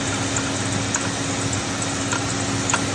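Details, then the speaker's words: Mercury Grand Marquis idling with a steady hum and faint, uneven light knocks from worn belt idler pulley and tensioner; tensioner visibly moving; both replaced. "So if you're hearing this noise, most likely your idler pulley and your tensioner. If you look, you can see that tensioner moving around, which is causing that knocking noise."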